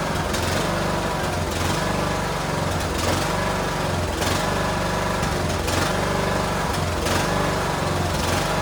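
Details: Cub Cadet LTX1040 riding mower's small single-cylinder engine on a test run after the carburetor leak at the fuel solenoid was fixed; it runs at a steady high speed with a faint slow pulse and sounds even and healthy.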